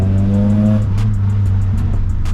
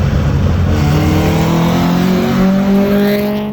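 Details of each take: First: SSS Pulsar just back from an overhaul, driven under acceleration: a steady, even engine drone with no popping or rasp. Previously the whole engine jolted and vibrated violently on throttle lift-off; now it feels smooth and normal. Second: Nissan SSS Pulsar with cracked headers, loose header bolts and a failed gasket: a raspy, rough engine note climbs under throttle, with the exhaust leak heard from the front.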